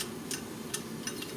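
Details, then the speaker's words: Honda CBR600F4i clutch basket turned by hand: sharp uneven metallic ticks from loose smaller-section damper springs (1 and 2) inside the basket; clutch knock that appeared after long traffic-jam riding. "так маракас дело в том что это звук издают пружины демпферные то есть в моем случае это 1 и 2 те которые поменьше сечением"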